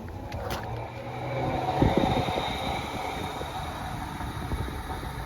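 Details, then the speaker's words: Cooling fan powered directly by jumping relay socket pins 30 and 87 to test the wiring: a steady rushing whir that holds evenly with no scraping or wobble; the fan kicks on immediately, normal fan operation. "I plugged this into pin 30 and this into pin 87, and then I supplied power and my fan kicked on immediately."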